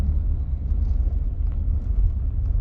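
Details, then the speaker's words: Volvo XC90 on the road after replacing two engine mounts (front mount still good) to cure vibration: deep, even rumble with no thumps or shudder, smooth through gear changes; smooth running. "it feels smooth the key change there as well really smooth oh honestly i am not joking it feels like a brand new car even the sound it sounds amazing"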